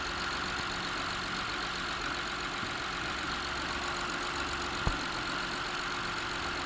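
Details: Honda J35A9 engine at quiet idle: thin steady whine from the accessory drive; owner suspects the water pump or the tensioner pulley bolted to it, though both turn firm and smooth by hand and the cam pulleys are ruled out; unconfirmed.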